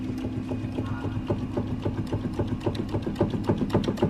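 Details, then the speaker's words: 2003 BMW E46 323i front control arm bushing rocked by hand: quick dry clicking about four times a second from a bushing with visible play, showing it is worn and needs replacing. "can hear that one that noise that's when you know they're bad so we're gonna remove this bushing"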